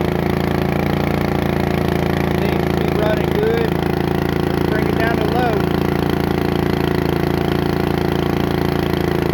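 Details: Bolens riding mower single-cylinder engine just after a new carburetor was fitted, started on choke, holds a fast, even idle that won't come down. The governor and linkage work fine; the owner thinks it just needs to warm up.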